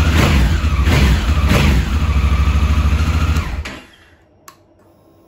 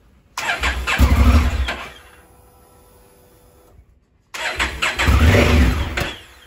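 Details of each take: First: 2017 Honda Africa Twin, 11,000 miles, after the starter button switch fix (carbon arcing made the engine start then nearly stall): engine catches and runs with an even, strong beat for about three seconds, then shuts off. Starter and engine working normally. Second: 2017 Honda Africa Twin, 11,000 miles: twice the engine catches with a short burst and dies within about a second; carbon inside the start-stop switch causes arcing and stalling, before cleaning the switch.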